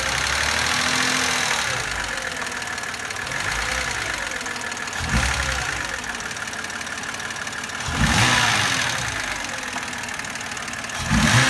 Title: Стук гидрокомпенсаторов N52B25 BMW e92 2007